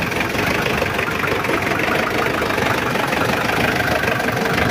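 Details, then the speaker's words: Mitsubishi L200 Triton diesel before engine overhaul: hard, heavy cranking, then lumpy limping idle under heavy clatter with raw white oily smoke, blow-by and high temperature; nozzles suspected bad; compression test showed low compression. "Sibak staternya juga berat Nah itu asapnya dan suaranya juga pincang"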